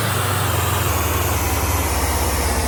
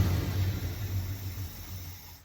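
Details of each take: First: 1979 Ford Econoline 350 with 460 big-block V8, sat for a long time, no start with no spark and no fuel: runs at a fast even rumble after fuel pump primed, then revs sag and it dies as fuel runs short; fuel looks dirty. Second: 1979 Ford Econoline 350 with 460 big block and electric choke, long-sat van revived from no spark/no fuel, just started and still cold: low rumble sags and dies within two seconds when kicked off fast idle; cold engine stalling.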